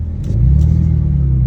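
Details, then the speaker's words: Cheap, rough manual Ford Mustang, sold as tow-only and just driven: engine revs rise and flare with a low rumble while the car barely pulls; clutch slipping, described as gone. Reverse works and transmission seems relatively healthy. "that clutch is gone who sweet Jesus Mary and Joseph"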